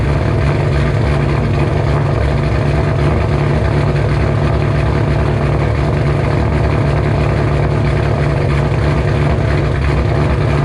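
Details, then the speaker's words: 2007 Ford Shelby GT500 supercharged, first cold start after L&M NSR cam install, Venomous Tuning tune: deep loping uneven idle rumble from big cams, steady and strong; high cold idle expected to settle lower. "there you have it cold star she sounds glorious [Music] she'll idle down a little lower but holy cow guys"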